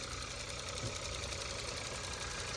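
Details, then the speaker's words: 2022 Kia K5, 29,000 miles, direct fuel injection engine at idle: light fast even top-end ticking over steady idle; normal direct-injection tapping, motor sounds good, no dash lights. "again this is a direct fuel injection motor so the same noise that that um Ford Taurus was making is the same noise this one's making that tapping in the top is because it's direct fuel injected just for anybody that doesn't know"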